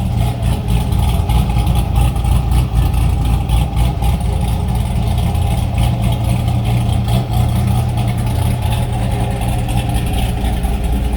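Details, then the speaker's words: C5 Corvette Z06 V8 after the heads/cam/intake swap: BTR Stage 3 cam, springs and pushrods, CNC 243 heads, FAST 92mm intake, LS2 throttle body, 1 7/8 headers. It idles deep and choppy with a steady lope of about 3–4 pulses a second; a healthy big-cam idle. "Right, let me know what you guys think on how she sounds. It's not obnoxiously loud, but you can definitely hear that cam."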